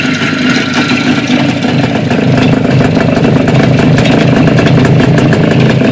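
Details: Jupiter 5 two-stroke engine at idle: busy exhaust note with a rapid, uneven metallic clatter riding over it; internal engine knock, source unknown.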